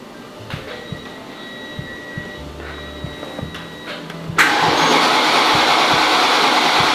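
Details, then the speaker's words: Salvage-wrecked Mercedes-AMG GT with hidden front damage, just under half a tank, coil packs disconnected: steady starter whir with even compression pulses then a loud surge; healthy cranking, no fire. "Oh my god, it's cranking. It's gonna fire."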